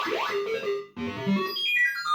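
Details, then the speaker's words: System 80 machine tested about ten minutes after switch-on, following fixes to a loose, unbolted speaker and restored earths to the speaker. Clean synth tones and jingles with no crackle, buzz or dropout; sound output normal, though the owner isn't sure the problem is solved. "it fits nice and clear perfect Road and that's fine"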